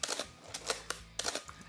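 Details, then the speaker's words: Canon AE-1 Program/A1 film camera after repair: crisp, dry shutter and mirror clacks firing repeatedly, no squeal; the stuck mirror-dampening inertia wheel was freed with a few drops of oil via syringe, squeal fixed. "not squealing anymore it's fixed the squeal is fixed i just used a few droplets of oil so the camera is not doused in oil"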